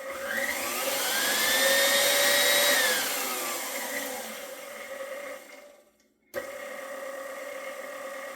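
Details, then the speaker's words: KitchenAid stand mixer after its first-ever gearbox regrease with food-grade grease, previously showing light clicking: a steady high motor whine with smooth gear hum, briefly cut then restarted, no grinding; runs with less difficulty, especially at highest speed. "So, I think it sounds a little bit better to me at least. Um, especially at the highest speed. seems like it runs with a little bit less difficulty."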